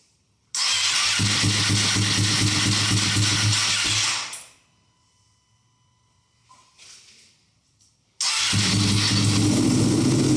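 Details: Wrecked Ducati V2 Bayliss rebuilt and started for the first time in 3–4 months, on a table in neutral with what seemed a weak battery. Smoke from the rear header is thought to be cleaning products. A strong V-twin rumble that fires cleanly and restarts; healthy engine.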